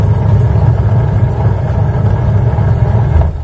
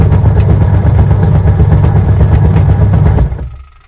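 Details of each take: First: Washing machine with belt drive, run after belt repair to check an earlier excessive-noise problem: low, even drum-and-motor hum with a soft steady rhythm, no slapping or squealing; belt drive running smoothly, normal. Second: Washing machine running with heavy low thumping about four beats a second while the drum turns, dying away at switch-off; worn or loose drive belt.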